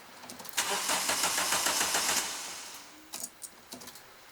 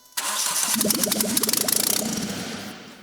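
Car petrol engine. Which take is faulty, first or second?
first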